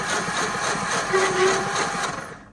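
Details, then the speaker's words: Grinding while cranking a 1948/49 Ford F-5 flathead V8 truck sitting about 50 years, valves just freed, low compression: rough whirring scraping grind fading as cranking stops; owner suspects dry flywheel or ungreased pilot bearing. "I think that's the flywheel or something the pilot bearing cuz it ain't greased or something like that cuz that's kind of what it sounds like"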